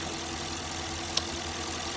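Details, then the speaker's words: 2021 Dodge Durango R/T 5.7L HEMI V8 after new spark plugs: even, steady idle hum with no stumble, miss or shake, one small click; normal idle, no misfire. "Still no uh no abnormal noises. Yeah, you would see the engine shaking if you had a misfire."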